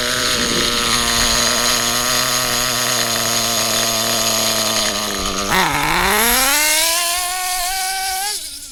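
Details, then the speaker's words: HPI Trophy Truggy RC nitro 3.5 engine on 25% nitro, low-end needle being leaned: high buzzing note holds, then sags and slowly recovers on throttle; rich bog from too much fuel, not lean hesitation. "Still a little bit rich. You can tell by that hesitation. That See, that wasn't lean hesitation. That was a bit of a bog, you know, too much fuel."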